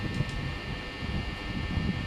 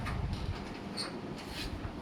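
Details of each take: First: Panasonic fan running with a steady low drone and faint buzz coming from the top of the housing, where loose housing panels vibrate. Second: Panasonic/KDK fan on speed 5 after masking-tape fix to the upper housing that had hummed: soft, steady airflow rush with no hum or buzz; normal.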